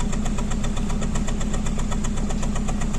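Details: Hyundai Verna petrol idling with an uneven, stumbling beat about twice a second and heavy engine vibration, a single cylinder misfiring; codes P0300 and P0304 stored.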